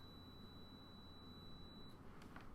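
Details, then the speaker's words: Cheap multimeter continuity test on a pro audio cable, probes on channel one and its ground, held near the microphone: steady high beep about two seconds then stops; continuity present, cable conducts. "that tells me hey there's continuity it's going through um it works"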